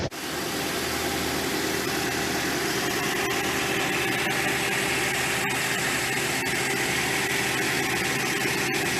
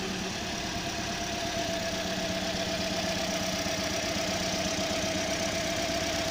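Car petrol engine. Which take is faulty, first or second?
second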